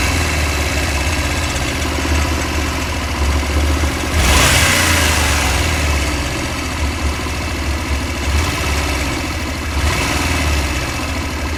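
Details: Honda Varadero 125 engine with a random metallic knock, about three a second at idle, appearing at start, while riding or after and vanishing randomly; it rises in frequency with rpm and disappears above 5000 rpm, performance unaffected.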